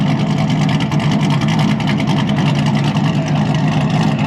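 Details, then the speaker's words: Vehicle driving with a steady low drone and a fast, even pulsing over the engine, described as a weird "dragon" noise; source not identified. "it's kind of making a weird noise too like a dragon noise yeah I think it's smart listen to it Brian"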